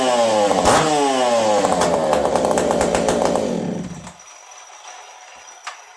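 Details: Ironhorse-ported Husqvarna 372XP chainsaw in cold weather, running slightly lean from the cold: revs climb cleanly and settle to an even burble before shutting off; runs well with no stumble.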